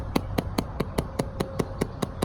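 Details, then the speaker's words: Exterior bathroom or dryer exhaust vent on a windy day, cover removed: light plastic flap lifted by wind taps plastic on plastic about five times a second; fix is foam weatherstrip or felt pads inside the flap. "what's happening is it's just as the winds come by the house it's picking up this plastic flap it's very light and what you're hearing is"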